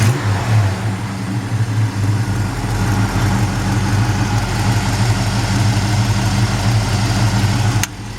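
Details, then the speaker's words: 1965 Chevrolet C-10 truck V8: deep, even burble that swells cleanly when revved, then cuts off at switch-off; healthy, strong exhaust note. "Easy hood. It's a really great sounding exhaust."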